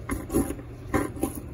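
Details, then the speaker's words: Fox DPX2 rear shock during an IFP service, pushed through its stroke by hand: short squishy gurgling bursts from aerated oil passing through the damper ports. This is cavitation, which happens on the DPX2 for no apparent reason. "hear that sound sounds literally sounds like aerated oil passing through a port well it's aerated oil it's called cavitation and it happens on the dpx2 for no reason at all"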